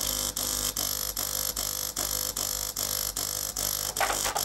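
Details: De'Longhi PrimaDonna Elite Exclusive espresso machine, used, heating in progress: harsh buzzing pump pulsing two or three times a second, never settling into flow; running dry with air in the circuit. Clogged flow meter suspected.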